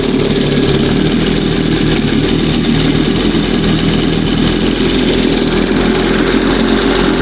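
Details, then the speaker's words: 1971 Johnson 20 hp two-stroke outboard, warm: busy, slightly uneven idle that hunts rather than settling; still pulling air somewhere, owner suspects seal or makeshift hose; uneven idle. "But it sound it has a different sound with the new new stuff in there, but it's still pulling a little air from somewhere."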